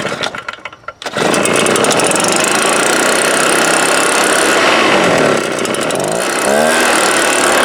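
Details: STIHL BR320 two-stroke leaf blower bought in 1998, about 24 years old, run during carburetor adjustment attempts: loud high-revving howl with brief speed sags while held wide open; power loss at full throttle, later fixed by carburetor cleaning.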